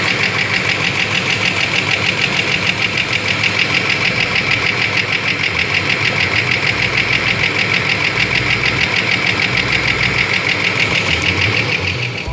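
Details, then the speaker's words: 1992 Ford Falcon EB Series 2 that had sat unused: loud, uneven idle with a lumpy beat about twice a second and hissy edge, running on about 3 cylinders; compression slightly down, spark fine; misfire suspected, cause unconfirmed. "t also was only running on 3 cylinders or so. Go figure, huh?"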